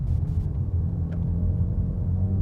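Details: 2016 Jeep Patriot 2.0L automatic, driving under load. A deep, steady droning buzz grows louder with acceleration and heavier load and stops in neutral even when revved. No knock or whine; source not pinned down.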